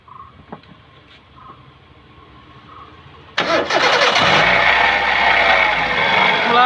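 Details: Hyundai Santro at start-up: a loud, raspy whine with wavering squeals rides over the idle from the first moment, caused by a worn power steering pump bearing.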